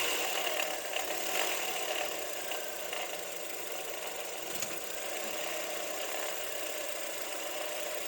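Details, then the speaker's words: Toyota Wish 1.8 2R engine, started at idle, noise at top front of engine: dry, uneven chatter over the idle. "deu para deu para vocês perceberem depois vocês perceberem o barulho que tá fazendo aqui na parte de cima do motor"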